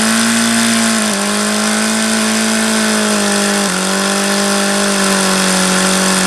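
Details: HP VT 21 rotary-valve four-stroke glow engine, bought used, just started after priming, before plug change: steady high-pitched buzz dipping only briefly, won't settle below about 4500 rpm idle; leaning low-speed needle doesn't help, owner baffled.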